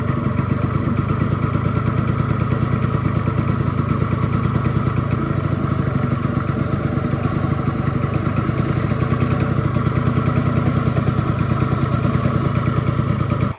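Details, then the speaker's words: Honda Dio 100cc two-stroke scooter, first start after rebuild with bearing replaced: an even, low idle with a steady pop, running slow and lazy. Idle speed is too low and needs raising slightly. "ну чуєте звук який за малі обороти треба дати чуть-чуть чуть-чуть більш"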